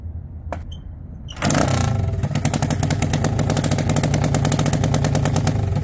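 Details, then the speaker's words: Honda XL185 that sat 20+ years in a barn, running on an open header with the muffler removed: it cranks, then runs loud, rough and irregular. It has heavy blowby and oil leaking at the head gasket; worn rings are suspected, with a compression check next. "okay well this thing is still running like hot garbage and uh you know we had the suspicion in the previous video that the muffler could have been like clogged or something"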